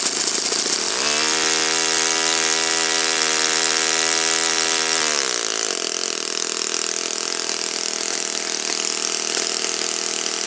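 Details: Saito FA-56 four-stroke glow engine, first run after teardown, cleaning and bearing replacement, 12x6 prop, OS F plug, Omega 5% fuel, tuning run: clean start, high even buzz settling to steady revs, then smooth drop; normal healthy running.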